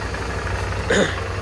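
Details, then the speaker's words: Suzuki V-Strom 650 in for fork seals, head stock bearings, brake pads and other repairs. The fuel pump primes, then the engine starts and holds a steady low, even idle with no knocks or misfires: normal idle. "that's the sound of the fuel pump kicking in all right and there we go it"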